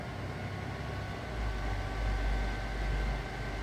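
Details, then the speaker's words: Prototype CC/CV bench power supply under a 5 A load at 18 volts (about 40–45 W): low hum swells after about 1.5 seconds and holds steady as the thermostatic fan spins up; fan runs slower when warm and stops when not needed; normal. "Cuz that's the hottest it runs. So, it'll come on fairly quickly. If it's only running warm, the fans run slower."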